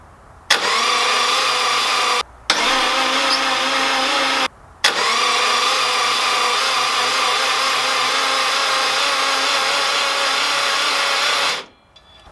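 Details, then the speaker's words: Subaru EJ205 swapped into a Honda CRX, cranked before first start with zero compression to build oil pressure: steady even starter whir without compression pulses, stopping and restarting; cranks normally, good oil pressure shown. "Sounds pretty good for an engine with zero compression."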